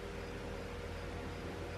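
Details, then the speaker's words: Cheap V10: the cooling fan is commanded on through a scan tool, an even whooshing hum with a low drone and no rattle, speed rising as the percentage is raised; the second fan works while the first does not respond. "and you can hear the fan kick on yep it'll go higher and higher until i shut it off"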